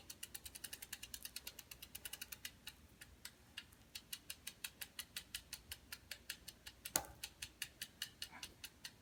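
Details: Bicycle while pedalling: crisp, light tick about four to five times a second, steady with pedalling and with no other noise; chain clicking, cause being looked for and not confirmed.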